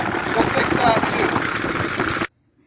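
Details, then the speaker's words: 1948 Ford 8N tractor, warm after rebuild: the engine holds a quick, busy idle, won't settle to curb idle, then cuts out as it runs out of fuel. The governor linkage needs adjusting. "I need to adjust the governor linkage because it's not it's not slowing down enough to curb idle"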